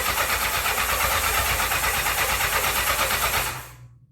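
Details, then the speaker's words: 1984 Honda CB700SC Nighthawk in for carb issues; the gas smells old, and choke was tried. Steady, quick starter cranking that never catches, then stops. No start. "all right folks I'm Not Gonna Keep cranking it too much I don't like to keep cranking I don't see where it's starting and running but like I said that gas does kind of smell a little bit old"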